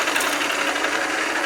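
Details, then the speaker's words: South Bend lathe nylon change gears lubricated with 600-weight oil via a grease-gun pump recirculating through the guard reservoir; fine steady high whirring, no clatter or grinding, quieter each pump; normal lubricated gear train. "it's working good now though every time I pump it it makes it quieter"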